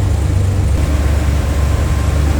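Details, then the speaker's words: 1971 Chevrolet Corvette coupe, numbers-matching LS5 454 big-block: deep, even burble at idle, steady low rumble with no misfire lope, ticks or exhaust rasp; exhaust not obnoxious, healthy engine. "Slip around to the back seat and hear this run. Sounds good, nothing too crazy or obnoxious out of that exhaust."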